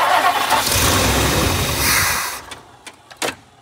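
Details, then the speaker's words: 1959 Lincoln with a new ignition switch: steady starter cranking at about three turns a second, never catches, starter cuts off; crank no-start, a weak or dead fuel pump or a stuck float or needle and seat is suspected. "it should have been primed by now yeah there's no way so my curiosity points to is there fuel or do we have a stuck float that's stuck up or a stuck need and seat that's stuck in in"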